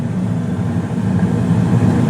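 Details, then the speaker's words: Carrier gas furnace heating with both zone dampers open: even low rumble of burner flames with steady blower motor hum, no knocks or squeals; normal burner and blower operation. "but you hear a nice like rumbling from the flames below in the playroom and the hallway and then you hear the motor itself turn on the blower motor which is really cool"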